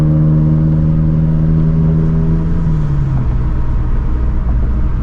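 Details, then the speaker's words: 2013 Scion FRS with a Greddy turbo, built FA20 shortblock and R888R tires all round, cruising at about 40 mph: a steady low rumble and mild, even tire roar as the engine tone eases; normal road noise. "this car does actually have a little bit of road noise because I am on the r88r tires all the way around so you can kind of hear it"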